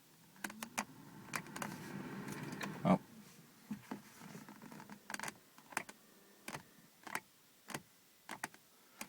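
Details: 2001 Audi TT MK1 power window with the key on and the switch pressed. Faint scattered clicks come from inside the door, with no motor run and no window movement. The window regulator is jammed.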